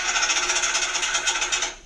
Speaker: I would say it is a starter solenoid clicking but it could be caused by a bad starter solenoid bad starter or a dead dying battery